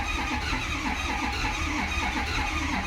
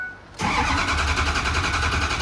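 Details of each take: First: Ford Powerstroke diesel with reman injectors and new aftermarket harness, bogging and hard to start: slow, labored cranking at about four beats a second that never catches, no codes, 20–35 lb oil pressure; batteries too weak to spin it fast enough to fire. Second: Ford Powerstroke diesel after Ford reman injectors broke in half: quick crank, then a clean catch and a steady, even diesel idle. It fired much better than during priming, but the driver-side injectors remain doubtful.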